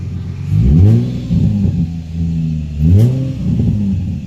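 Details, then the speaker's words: Nissan 350Z VQ35 after a new battery (alternator, spark plugs and coil packs done earlier) to cure a misfire. Two clean throttle blips rise and settle evenly with a smooth rumble and no stumbling; running normally, not yet warmed up. "sure sounds better [Music] it doesn't sound like it has a misfire anything anymore and a let it run for a while and see like when it warms up"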